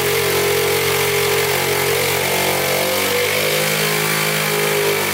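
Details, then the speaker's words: 1977 Honda Z50 non-starter, timing chain loose but not skipping, timing and valves in spec, air leak at throttle body plugged: single-cylinder engine idles at an even beat, pitch shifting briefly then settling; oil leak near flywheel. "all right she fired up i guess i had too much air in the system so i plugged up the throttle body right there and fire right up"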